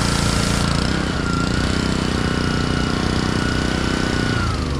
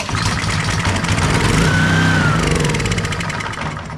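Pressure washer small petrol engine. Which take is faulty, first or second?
second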